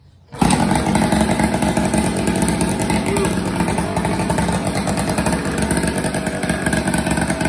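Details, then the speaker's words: Tomos Targa two-stroke barn-find moped, kick-started just after a new exhaust was fitted: catches at once and holds a crisp, even buzz without sputtering; normal idle. "well that's all for this video maybe next video i'll fix that throttle and uh take her for a ride yeah i think it sounds good and it looks cool"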